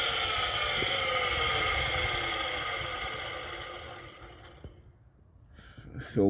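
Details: 2006 Toyota Avalon XLS, engine revved then key turned off: a high front-accessory whine falls steadily in pitch as the engine spins down; the alternator is suspected, after earlier suspicion of the fan clutch or AC compressor.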